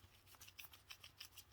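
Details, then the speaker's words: Suzuki Swift strut top mount removed and twisted by hand: dry, scratchy rasping in uneven bursts from a worn, unhealthy bearing. "So is there a way to tell whether the top mounts are in good condition or not? You can normally feel it in the bearing. Oh, okay. So that's you can hear that, it's not too healthy."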